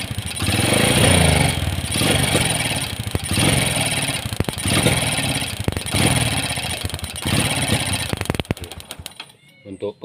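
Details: Carbureted Honda Supra X 125 that is hard to start: on repeated blips the revs swell and sag with a ragged stutter. The ignition was checked normal with a new spark plug, and the carburetor's main jet was found dislodged.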